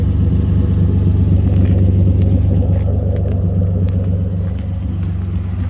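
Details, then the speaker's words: Nissan 200SX S12 after fitting a new Walbro 255 fuel pump, with new injectors and fuel filter: smooth even rumble rising and falling cleanly when revved, no misses or knocks, idle less missy than before; running normally. "All right, seems to be running good. Sweet deal."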